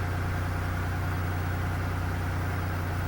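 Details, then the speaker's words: 1990 Oldsmobile Toronado Trofeo 3.8L V6, cold, after line replacement to fix an idle near 2000 rpm: smooth, steady low rumble with no misses or hunting; owner considers it normal cold idle. "definitely not as bad like actually you know what now think about it I think that's normal Idol when it's are cold"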